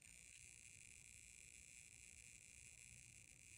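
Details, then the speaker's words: Old power bank, owned since middle school, suddenly making a faint steady high-pitched hiss and whine with a soft low rumble, likened to water squirting combined with a fan; cause unknown. "I'm just hearing some weird noise now. It sounds like a I don't know, like a water squirting noise with combined with a fan or something."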